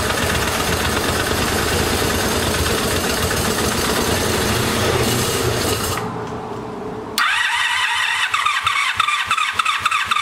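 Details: Abandoned 1984 Honda Sabre VF700S V4, first cold start after long storage on a gas bottle with battery, needed help: cranks, catches, pauses, then choppy uneven idle; smoking, exhaust full of water, still burning off water and oil.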